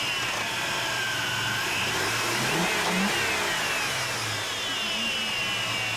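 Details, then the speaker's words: Chevy 4.3 Vortec V6 truck that ran slightly rough, after fixing spark plug wires that had been swapped: it revs up and settles with an even, steady beat and no miss or stumble, running properly. "test drive and see how well it works so far it's looking like it's doing what it's supposed to be"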